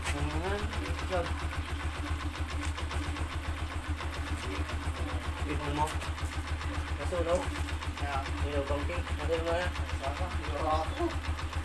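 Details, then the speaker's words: Honda TMX 125 single-cylinder motorcycle after a tune-up for a sharp ticking and poor idle: it now idles steadily, slightly low, with even beats and no valve tick. Normal idle. "start na natin mga ka- basic Yun oh so maganda na yung kanyang idle"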